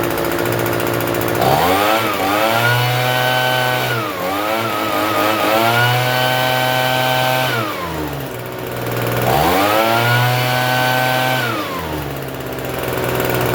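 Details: Free Troy-Bilt TB272V two-stroke leaf blower, restarted after sitting and being worked on: blipped to full revs a few times, each time falling back to a fast busy idle, still idling a little high even with the adjustment turned out as far as it goes.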